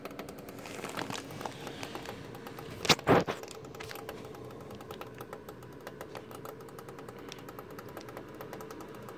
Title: Thermaltake Toughpower iRGB Plus 1200W Platinum PC Power supply Unit makes cracking knocking noises